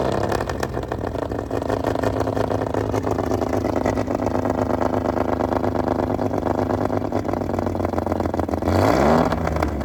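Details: Fully restored 1935 Stancraft inboard six, the oldest known surviving Stancraft, in raw unedited footage; steady, even, deep drone for several seconds, then a smooth climb as it is revved, with no knocks or misses. Normal running.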